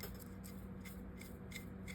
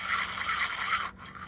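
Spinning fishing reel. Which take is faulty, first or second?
second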